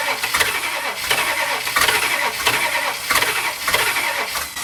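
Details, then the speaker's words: 1965 Chrysler Imperial LeBaron, Edelbrock carb, fuel line disconnected: ragged, uneven firing in loud bursts, never settling to steady idle, running on leftover fuel; flooded engine, carb needs rebuilding. "it's flooded um i disconnected the fuel so whatever fuels in there is just whatever's left over from it being flooded"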